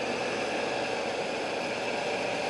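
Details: 1990 Chevy truck, TBI injection, timing set at zero, freshly rebuilt engine with all NAPA parts: cold start settling into a smooth, even idle with a steady hiss, no knocks, ticks or misses; healthy engine.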